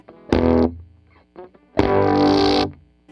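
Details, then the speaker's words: Vox AC100 build with all four power tubes fitted, at higher volume: notes break up into harsh, fizzy clipping with a hard click and pop on every strike; clipping starts even at low volume, cause not yet found (sounds great with two tubes). "can hear it just sounds incredibly bad. And you hear that click, that hard pop."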